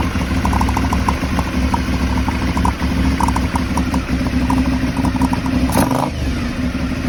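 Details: Aprilia Shiver 750 at idle, throttle body problem suspected but not confirmed. Uneven, lumpy idle with irregular clatter and stumbles between firings; rough idle.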